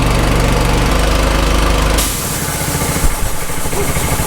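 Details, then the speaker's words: Small single-cylinder petrol engine on a gas-powered air compressor, filling the tank after the valve closes; it thumps steadily, then settles to a lower, firmer beat as the pump takes load; running normally under load. "Now these things are a lot less evil than the angle grinder, but I'm still going to wear my protection because ears, and because it's quite noisy, and flying plastic in the face is never good, even if it's not at high velocity or hot."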